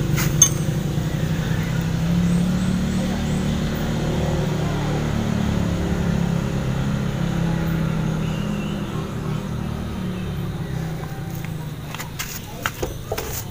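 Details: 2005 Yamaha Jupiter Z moped after a spark plug change, early-morning cold start needing several kicks: small single settles into a fairly steady low putter, no misfires or rattles; normal running after cold start.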